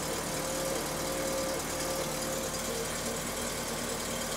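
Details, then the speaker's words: 1986 Toyota MR2 with eBay turbo conversion and rebuilt head, just started, wideband warming up: steady, even idle between 900 and 1100 rpm, faint mid-pitched hum with scavenge pump whir behind it. Normal idle. "shows where we're idling right between 900 and 1100."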